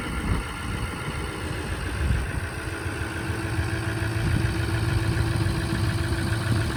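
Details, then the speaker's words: 2004 Ford F350 6.0 Powerstroke diesel, about 311–314k miles, sat 2 weeks after a dead battery: fires after a brief crank into a steady low idle with a light, fast injector tick and no smoke; normal cold start idle. "So as you can see, it kind of took a second to fire up, which is common. I mean, heck, it's been sitting for 2 weeks, which ain't bad at all."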